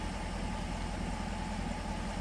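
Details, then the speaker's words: 2022 Dodge Durango R/T V8 idling after a DIY swap replacing a blown engine: steady, even smooth rumble, no ticking or misses; a tick on early starts went away by about the third start, thought to be oil pressure building. "Sounds good and smooth. There was a tick. That tick went away after probably the third time I started it."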